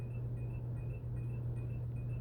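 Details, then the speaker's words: Fan running: steady motor hum with a thin high squeak repeating about two and a half times a second at the same point each turn; owner suspects a bearing or something rubbing in the turning part. "do you hear that stinking squealing noise"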